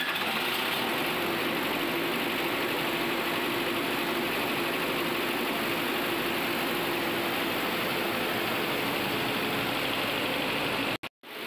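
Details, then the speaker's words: Greaves 4G11 TA diesel genset engine after a major overhaul (crankshaft, liners, head, tappets set), first run. Steady even drone with a constant mid-pitched hum, no knocks or misses; runs smoothly. "Overhauling के बाद engine smoothly run कर रहा है और इस video को हम यहीं विराम देते हैं।"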